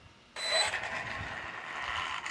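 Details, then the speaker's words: Traxxas Maxx RC truck coasting to a stop on its own: harsh, fast ratcheting grind from the drivetrain; owner unsure whether something broke. "hey guys sexy here just trying to figure out if the sound that my Max is making is a bad sound here it's a here check it out so I'll drive it and I'll just let it stop on its own you know he's just like sound"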